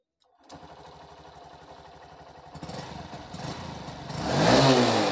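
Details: BS6 Honda Shine single-cylinder after fuel pump work, self-started: catches and settles into an even idle, then rises smoothly with throttle, no misses or knocks; normal running.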